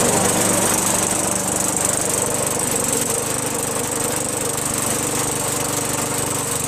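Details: Craftsman 21-inch push mower with a 5.5 HP Tecumseh engine that previously only ran when primed, then stalled. After a quick carb bowl cleaning with carb cleaner: steady, even single-cylinder putter about four beats a second, no surging, running properly.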